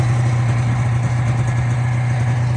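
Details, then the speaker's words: 1985 Yamaha XL-V 540 race-build snowcross sled, two-stroke: steady low burble at idle, even and unbroken, no stumbles or hunting; owner says it idles perfect on jetting from a 420-something setup; normal idle. "But you can see it idles perfect at the jetting that like 420 something made, and I'd have to look back in my notes as to what I put in this, but yeah."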